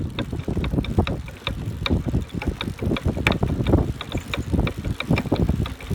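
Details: Brand-new Buzz Charter F eBike while pedaling: sharp metallic knocks in irregular bursts, several a second, under some wind noise, like metal parts colliding inside the rear hub motor; cause unknown.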